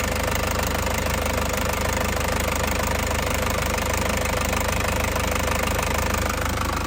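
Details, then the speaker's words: 2003 Panther Touring turbo diesel (in use from 2004), injector nozzles still sealed, no oil or diesel leaks, no smoke from oil cap or dipstick. Even, rapid clatter at a steady idle, not limping, no stumble; stable, normal diesel idle. "Mesinnya juga masih sangat anteng banget ya, anteng banget, tidak pincang ya, tidak pincang. Nah, masih stabil banget."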